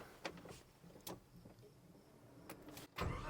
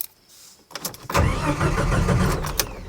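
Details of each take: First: 1989 Jeep Wrangler with crank-no-start after refueling, fuel pump not priming, after replacing failed ECM with refurbished unit: a few quiet clicks, then engine catches at once and settles into a smooth steady run; problem fixed. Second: 1989 Jeep Wrangler with aftermarket fuel pump, crank no-start after refueling; no pump priming heard. Starter spins the engine evenly but it never fires; no fuel pump power, traced past relay and grounds to a failed ECM.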